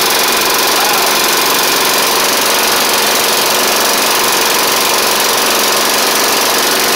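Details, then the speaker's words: Snapper hi-vac push mower, Tecumseh engine, first run after carburetor swap: harsh buzzy engine with loose uneven tapping about three beats a second; rough running with light knock, owner may add 20W-50, cause unclear. "wow shoo well she is running it ain't the it it didn't smoke up as bad as I thought but ma'am doesn't really sound the best either unfortunately"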